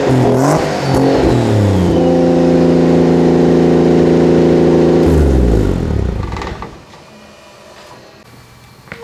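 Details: Turbo 2JZ-swapped Nissan 240SX after the fix: engine catches and revs cleanly, pitch rising and falling evenly with no misses, knocks or rattles, smooth exhaust, then settles back; normal idle and revving.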